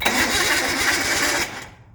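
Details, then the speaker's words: Older engine with points ignition and rebuilt flat-top carbs, after swapping a bad battery for a bigger one: quick, even, brisk cranking for about 1.5 s, much more turnover than before; normal cranking. "a lot more turnover and the points are working out nice so we'll see once we close this up"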